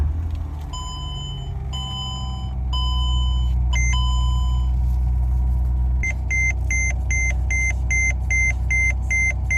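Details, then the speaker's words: Mercedes-Benz E320 with brake system failure: repeating high beeps, two or three a second, over a steady idle; brakes feel hard when pumped and car won't go into gear. "the brake system went out guys on the Mercedes e320"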